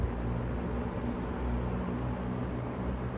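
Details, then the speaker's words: Restored vintage GEX/Frigid box fan on high speed: soft, even whoosh over low steady hum, surprisingly quiet, no ticking, rattling or wobble; running smoothly. "That's high speed. There's no way it's that quiet. This fan's deceiving me."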